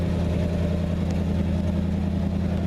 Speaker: it's basically already warmed up because I've started it a few times trying to get fuel to it but uh I don't see any smoking going on back here that's a good sign old Chevy 327s pretty good